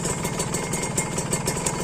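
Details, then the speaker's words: Kawasaki Ninja RR two-stroke idling unevenly and raspy with irregular crackling pulses and buzz from a leaking aftermarket RCB exhaust; once smooth, now running rough, cause unclear. "kalau untuk sekarang untuk sekarang suaranya Udah udah lumayan kasar"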